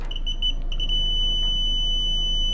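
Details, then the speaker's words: LG Multi V ceiling indoor unit leaking water, in cooling mode: a meter test of the float switch gives short chirps then a steady continuity tone, about 0.5 ohms with the float down and open when up. The float switch is working properly. "Got continuity with the float down.5 ohms. And if I move it up, we got O."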